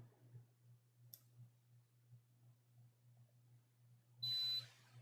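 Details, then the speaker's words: Nintendo Switch board repair, multimeter continuity check of P13 and the filters against a ground leg: low steady hum, then one clear high beep about half a second long; good connection to ground, everything tested fine. "that's good and all right so everything tested all right"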